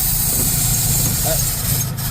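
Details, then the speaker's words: Ford F350 dump truck after fuel pump replacement and fuel line repair, engine revving healthily but idling low and unevenly, sagging until it stalls; dislikes choke, owner suspects carburetor adjustment needed; rough idle. "yeah yeah it died that's a win though we've got fuel in the filter it's not happy at idle right now but uh sorry but uh that be a little bit of carburetor adjustment"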